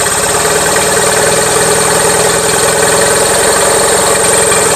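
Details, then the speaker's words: Gravely 450 with Onan CCKA twin, shroud off, steady idle with a fast regular knock; running a little rich, owner suspects compression escaping or piston trouble, now doubting cam bearings; engine knocking. "a little rich to me it sounds like compression escaping somewhere trick is I don't know which son okay back to the drawing board I'm starting to not think it's cam bearings"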